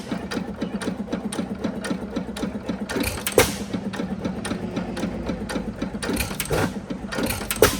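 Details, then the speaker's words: Recently purchased 5 HP Sattley hit-and-miss engine before tuning: fast, steady mechanical clatter broken by irregular heavy firing bursts; it fires too often and unevenly and runs rough, from several compounding issues. "Sometimes it fires quite a bit just to get the speed to make it miss. But, as you can see, it's trying to fire quite a bit. Sometimes it does, sometimes it doesn't."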